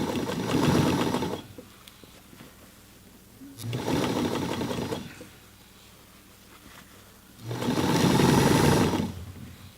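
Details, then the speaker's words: 1968 Singer 237 sewing machine hemming jeans: three bursts of fast, even needle chatter through heavy fabric, starting and stopping cleanly; motor noise from light pedal pressure, typical of older motors; normal sewing. "And that noise you're hearing is just me kind of slightly pressing [music] on the foot. It's kind of what all these older motors, the sound they make."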